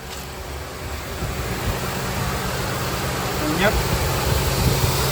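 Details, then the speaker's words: High-mileage Honda Pilot, first-thing-in-the-morning cold start at 58° after replacing the timing belt tensioner that caused a cold-start rattle: smooth, even idle, no rattle from the belt area; big difference, engine healthy. "big [Music] difference I don't hear any rattle sound first thing in the [Music] morning yep that's the nice [Music] sound"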